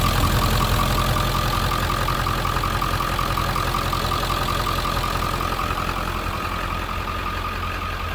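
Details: 1997 Ford F-350 regular cab 4x4 diesel idling parked out front: steady, even clatter with a regular beat near three per second and no misses or knocks; a healthy-sounding truck diesel.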